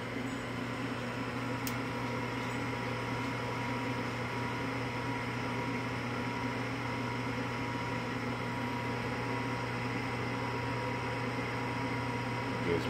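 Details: Evcon Coleman furnace after replacing the failed gas valve that caused lockout on retries, firing up: steady even low hum, smooth drone, no knocking or scraping; inducer fan running normally before igniter and ignition.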